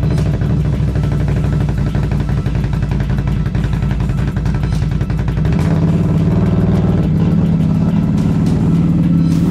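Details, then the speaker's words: 2021 Can-Am Renegade X-MR1000R after rear CV axle replacement: engine runs steady, then pulls harder under load with no clicking from the rear corner; the new axle sounds healthy. "i'll fire it up we'll back her up and put some stress on that corner and we'll just make sure we've got rid of that clicking and that our diagnosis was correct"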